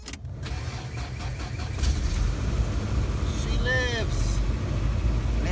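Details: Toyota truck after ignition switch replacement, following a failure after an ice storm: starter cranks briefly, then the engine catches and settles into a steady, even low rumble; clean, healthy start.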